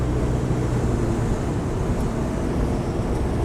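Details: BMW 635CSi automatic with switchable sports gearbox, driving: smooth, steady low drone with no clunks, flare or slipping. Normal automatic gearbox operation.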